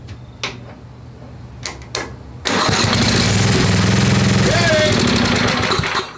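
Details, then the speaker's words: Craftsman 10hp Tecumseh riding mower after head install and carb refit, water-damaged engine: few clicks, then single-cylinder catches rough about three seconds and dies; spark confirmed, owner suspects insufficient fuel or junk in carb. "so I don't know if we're getting enough fuel in there sounded fine um you know but we may have to work a little bit harder at this to get fuel in this thing and get it really fired"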